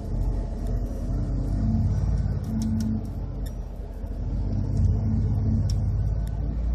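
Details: 2012 Ford F-150 5.0 V8 cold start, idling rough with a lumpy, surging rumble because the cold-start map retards ignition timing 9°. It lasts about a minute until the ECU adds positive timing.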